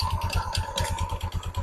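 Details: Motorstar Easyride 125 scooter at idle: rough, clattery rattle on each engine pulse. The CVT parts have gone rusty and the belt is slack, and the owner hopes cleaning fixes it. It struggles pulling away uphill with a passenger.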